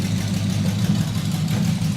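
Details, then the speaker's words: Freshly started carbureted custom engine with exotic carburetors, needing some tuning and with the exhaust not yet complete: deep, steady burble with an even beat, no misses or knocks; it settles right down to a smooth, healthy idle. "It lays right down to idle and just purrs smooth."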